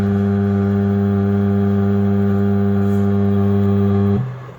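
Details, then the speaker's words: Creality LD-002R resin 3D printer with no resume function, restarted after a power interruption with the print still on the plate: steady low Z-axis hum as it pushes the build plate down toward the vat, then stopped; failed print. "I stopped it. So it's pushing it in, it's not resuming it. So that's a failed print."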